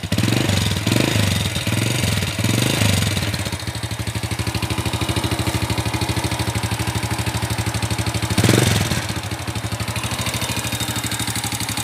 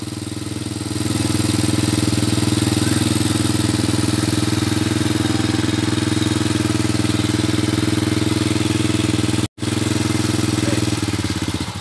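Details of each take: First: Honda Supra Fit, palm-oil hauling, smoky, welded front sprocket: fast sharp metallic clatter ticking with idle, louder on each blip; fairly severe valve train noise from worn rocker arms and camshaft. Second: Honda Supra Fit motorcycle, previously rough-running and heavily smoking, after repair: steady, even idle with a smooth regular beat and no knocks, rattles or misses, and no smoke; the engine is running healthy.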